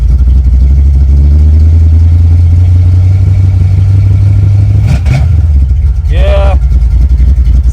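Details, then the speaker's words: Carbureted, nitrous-equipped LS-swapped Chevy S10 just after the Holley black fuel pump install, heard from inside the cab: steady low engine drone with a brief hesitation near five seconds; owner swore it stuttered; cause not found; engine stutter. "Let's see what it's like inside the cab. Because I swore it stuttered."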